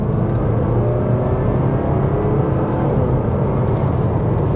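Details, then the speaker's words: 2020 Mazda CX-5 AWD, 2.5L with cylinder deactivation, 6-speed automatic, road test after torque-converter replacement and transmission flush for 3rd-4th shift chirp: steady road drone, clean smooth shift, no squawk, slip or flare. "Perfect. No squawk, no weird noise, no flare. Uh, nothing. No slipping."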